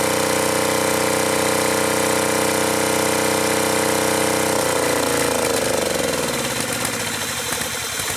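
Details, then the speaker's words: Acme Motori ADX 740 diesel, unrun 10+ years, after reinstalling both injector pumps, linkage and injectors: hard flat-out roar with dense firing that never drops to idle; engine runs away at full throttle, throttle not working, linkage suspected. "And some of that needs to be burned off, but it looks like it's still got a problem. Obviously, it's running full throttle. We can't have that."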